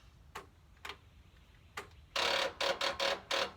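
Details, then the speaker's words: Riding mower tractor with replaced engine, oil and gas checked: quick bursts of sharp dry clicks with no cranking; battery dead, ignition likely left on. "freaking battery. Of course. Why not? Why wouldn't it be? I guess I left the ignition on."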